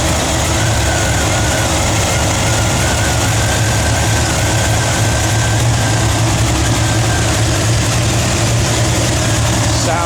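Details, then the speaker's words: 1964 Chevrolet C10 with a ZZ4 350 ci GM crate V8, Holley 4-barrel, Edelbrock intake, aluminum heads and headers: a deep, even burble at steady idle with no misses, knocks or ticks, sounding healthy. "Sounds good, man."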